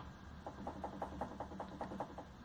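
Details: Hyundai HB20 front suspension being rocked: quick, evenly spaced hollow knocks about five a second from a worn stabilizer link, louder on the passenger side, initially suspected to be the steering rack.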